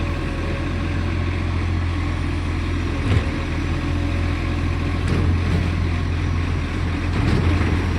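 Deep steady diesel idle with a raspy, puffing edge over the rumble, consistent with a leaking exhaust.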